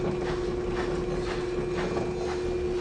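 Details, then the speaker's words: Electrolux LSE09 washer-dryer at full spin: a steady hum with a rough scrape pulsing about twice a second; not a bearing, the hot IPM module oscillates and lets the motor rotor rub the stator. "Quando ela tá centrifugando, o IPM esquenta, ele começa a dar uma oscilada. Aí o que acontece? Aí o rotor vai triscando no estator"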